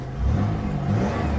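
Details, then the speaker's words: 1980s Pontiac Firebird at 241,000 miles, found abandoned at auction: deep engine note rising and settling smoothly as it is revved, no knocks or misses. It runs decently, though the transmission is suspected bad. Normal revving. "it's actually starting to run a little bit better what do you think probably a bad transmission 241 000 miles on the odometer are you kidding me it actually runs decent"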